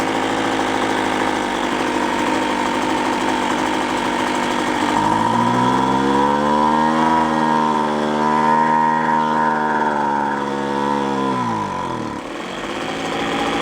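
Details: Free roadside two-stroke machine after carburetor limiter tab cut to adjust air-fuel mixture: idles, then revs but hangs at a modest, wavering pitch, never reaching full speed; mixture set wrong.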